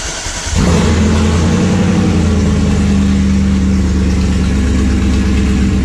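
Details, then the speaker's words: BMW E34 with 3.0 V8, automatic, running poorly with fault code 1222 and much of the exhaust missing: starts and settles into an extremely loud, deep open rumble with uneven lumpy beat; owner suspects O2 sensors and a vacuum leak. "yeah it's very loud it is extremely loud"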